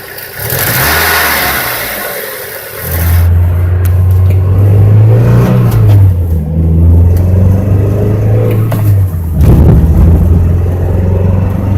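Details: 1999 Mazda Miata petrol engine revving with an uneven, stumbling note under throttle. It misfires on cylinder 2 (P0302, check engine light) above 1/4 throttle, caused by a bad coil pack.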